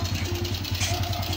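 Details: Suzuki Raider J110 carb-type bike after a valve clearance check and carb idle tuning: an even, quick, low putter with steady beats and no misses or rattles. It idles cleanly, with slight smoke noted.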